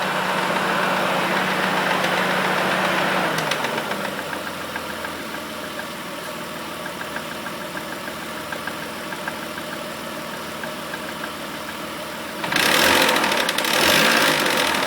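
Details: Mitsubishi Eclipse at idle with a light, steady lifter-type tick about four times a second, then several sharp revs; cause unknown, owner suspects lifters.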